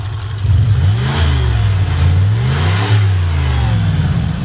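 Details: Cadillac with a 300 HP Northstar V8 and a broken exhaust, just started: a loud, raw, blatty V8 rumble swelling and dropping with throttle blips. Exhaust leak.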